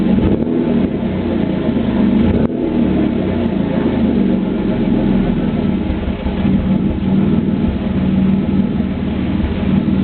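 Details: 3.8 Camaro held at a steady rev, with the exhaust note breaking up now and then from a cylinder misfiring because of a bad spark plug.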